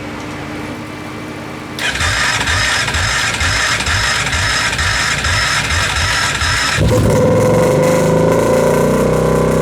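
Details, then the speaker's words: Kawasaki KFX700 quad on fresh gas catches after cranking, then runs ragged with sharp popping about four per second, backfiring through the intake when revved. Throttle is slightly more responsive. Carb cleaned, spark confirmed, timing chain checked; owner suspects stuck valve or timing chain. "Still is backfiring into the intake. It's a little more responsive on the throttle at least."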